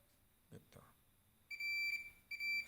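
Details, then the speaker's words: Fluke 287 multimeter in diode test mode: steady high-pitched continuous beep as probes touch, indicating a short across the part, unless it is a horizontal transistor. "Namun jika bunyinya seperti ini, berarti ukurannya pendek, kecuali jika itu adalah transistor horizontal."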